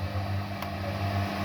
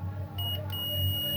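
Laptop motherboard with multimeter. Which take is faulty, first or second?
second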